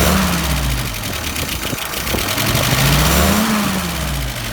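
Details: Engine after repair of a stumble: catches and revs up and down cleanly a couple of times with no stumble; idle about 660, fuel pressure about 3, vacuum about 23; normal throttle response.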